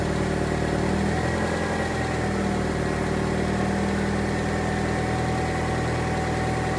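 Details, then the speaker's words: 1998 Saturn SC2, just after replacing three engine mounts (the transmission mount was kept), having rattled badly before: a steady, even idle hum with no rattle or knock. Normal idle; the new mounts made a huge difference. "so no actually i think that made a huge difference yeah that made a huge difference"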